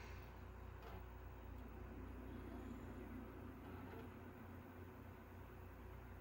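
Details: Fat PS2 after a bent part was flattened back to stop laser grinding: test with Resident Evil 4, low even hum and steady spinning whir with no scraping or grinding; the disc spins up normally.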